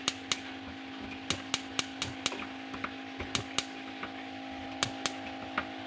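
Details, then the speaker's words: Built-in glass-top gas stove (kompor tanam), smallest middle burner fails to ignite: repeated sharp igniter clicks with faint pops over a steady fan hum, burner never catches; the outer burner lights fine, the middle one is difficult. "Kita nyalakan. Tidak menyala ya, cuma ada letupan seperti"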